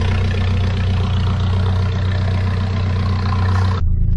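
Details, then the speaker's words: 1994 Nissan Hardbody mini truck after a motor teardown and rebuild, warmed to operating temperature. A smooth, steady low idle with even firing, no knock or tapping and no leaks: sounds healthy. "Man, she sounds good, y'all. Think we saved it. Nothing leaking out anywhere."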